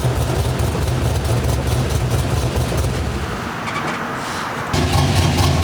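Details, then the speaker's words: V8 with mild cam (216/220, .550, 114 LSA), base idle timing about 18°, ±12° idle timing corrections, fuel trims and idle airflow dialed in: deep lumpy idle swelling and sagging about twice a second; healthy cammed V8 chop. "so what that does is it gives the idol basically that heartbeat that cammed um here this is my my uh timing table that up and down up and down that's literally the chop of the cam"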